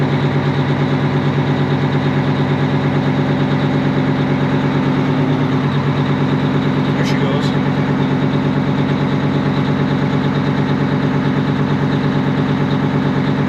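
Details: 1980 Peterbilt 359 with Detroit 8V92 two-stroke diesel, just fitted with a bigger fuel pump, firing up: steady, even drone at idle, no knocks or misses, fuel pressure now present. Normal idle.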